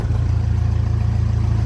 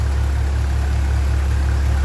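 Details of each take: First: 1957 Ferguson 35 TVO tractor revved then released: steady fast beat that holds up instead of dropping back; idle stuck high because the lever wasn't refitted fully and doesn't touch the throttle rod, about to be adjusted. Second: 1957 Ferguson 35 TVO tractor after valve clearance adjustment and rocker cover refit, warming up: steady even low-pitched idle, soft regular beat, no top-end tapping; quieter, thermostat housing leak seems sorted.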